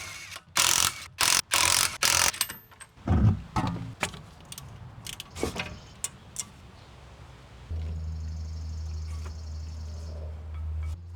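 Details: Tesla Model Y driving: thin high squeal over low steady hum from rear brakes while rolling; persists after cleaning and burnishing brakes, cause unknown.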